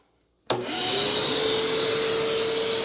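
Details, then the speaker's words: New DeWalt 9-gallon shop vacuum with Quiet Technology, advertised 50% quieter: motor spins up in half a second to a smooth, steady airy rush with even tone, quiet enough to talk over; normal running. "wow that is significantly quieter not only is that quiet but I am talking over the sound of that vacuum now they adverti this as 50% quieter with the new quiet technology"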